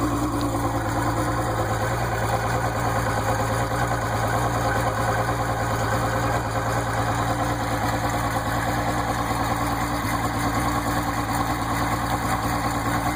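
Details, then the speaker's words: Outboard motor idling after start-up with the water pump working: smooth, steady low putter, about two beats a second, no knocks or misses. Normal idle. "start it up, let it idle for a minute, bring it up in RPM, bring it back down, and then we'll run it forward and reverse. Water pump's working."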